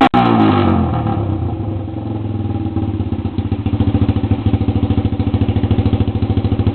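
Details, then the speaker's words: Honda CB125 four-stroke with exhaust cut off, baffle and spark arrestor removed, at idle: sharp, loud popping exhaust beats settling into an even idle of about three per second; loud open exhaust. "it's pretty nasty for a 125 four strokes the exhaust is cut off"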